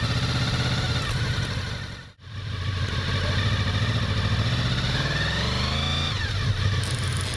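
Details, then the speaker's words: Honda VFR 800 motorcycle with a DIY-installed ABS, mic mounted directly on the ABS modulator: engine running steadily, then a short rising electric whir as the bike pulls away; the ABS pump's normal self-diagnosis. "Я разместил микрофон к камере непосредственно на блоке ABS-модулятора для того, чтобы было слышно звук его работы. И сопровождать это картинкой, что происходит с колесом в момент торможения на скользкой поверхности. А вот так проходит самодиагностика при начале движения."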